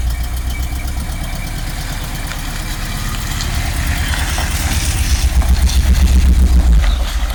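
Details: 1986 Rolls-Royce Silver Spirit II, parked since 2022, just started cold with some bad fuel: lumpy, uneven idle stumbling about four times a second, one cylinder not firing; bad misfire, plan is new spark plugs and checking distributor cap and points.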